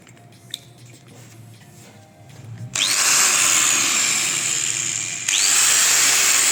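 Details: Angle grinder after repair: popping from burnt commutator fixed by fitting new rotor/armature with bearings and gear transferred; spins up to steady high whine, cuts, spins again, no popping; runs healthy.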